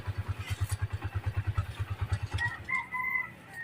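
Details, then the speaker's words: Honda TMX 125 Alpha single-cylinder, rebuilt back to stock with original head, crankshaft and genuine carburetor, push rod adjusted: steady, even thump at idle, about three beats a second, no ticking, rooster in background; idling well. "At yan na, ang ganda mag-minor. Magana na."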